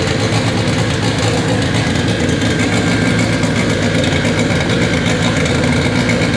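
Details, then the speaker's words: Honda Integra AWD with K24 four-cylinder on a FuelTech FT600 ECU, first start after two days of settings: loud busy idle holds steady without stumbling or hunting; fuel tuning still needed, normal idle. "it officially runs on fuel tech after what seemed to be like two days of just settings and doing weird things to get it to run but uh yeah that was awesome sounds good we need some fuel tuning but that'll be next"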